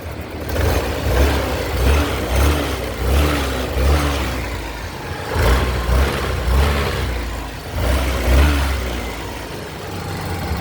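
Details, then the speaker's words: Yamaha Grand Filano scooter after repair of broken valve guide and bent valve, reassembly and oil change: steady low even exhaust putter at idle, no check-engine light; normal idle. "อ่ะเสียงท่อประมาณนี้นี่สตาร์ทอยู่นะครับก็ประมาณนี้เลยนี่เลยไม่มีไฟเครื่องโชว์นะ"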